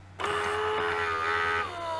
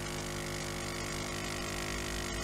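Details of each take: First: Siemens EQ6 S100 coffee machine that won't froth milk, ceramic valve and pump membrane already replaced by owner: at power-up motor hum starts, holds steady, then drops lower as the new ceramic valve moves; valve switches normally. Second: Siemens EQ6 S100 coffee machine after owner's ceramic valve and pump membrane replacement, not frothing milk: steady strained buzzing pump hum, no pitch change; suspected water not passing through the heater, pump labouring against blockage.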